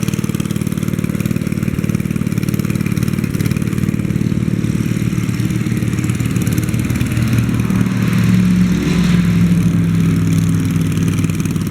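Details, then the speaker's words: 1964 Wheel Horse 704 Kohler single-cylinder idling after a rod knock from worn rod and crank was repaired: steady even thump, no rod knock, normal lifter tapping, belt flapping on guard. "it okay that sounds good there don't hear any rod noise now i can hear the lifters tapping and i can hear the belt flapping against the belt guard that sounds like normal"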